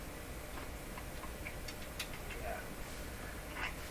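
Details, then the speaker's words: Nivico 23S202 console stereo record changer during restoration, cycling with no record: light clicks and ticks over a low hum; mechanism works though the off function is sticky; normal changer cycle. "Mechanically, it's good. It still thinks there's a record to play because this is up. Once again, go through the motions. It should turn itself off."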